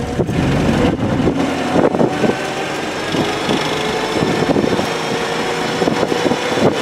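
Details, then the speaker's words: 1948 Crosley station wagon on the road: a small old engine pulling with a thin, steady gear whine over it, normal for this old gearbox. "You can hear the gears whining like a baby. Now, the only reason I'm in third gear is because we're going downhill."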